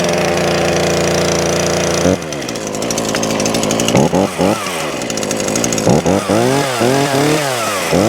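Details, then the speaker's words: Titan two-stroke chainsaw after repair with new primer (purge) bulb and new pull cord: settles into a steady idle, then revs up cleanly and drops back several times without stumbling; running properly. "that's for titan um two-stroke uh chainsaw now all up and running new primer bulb or purge bulb as they call them and a new pool cord all done"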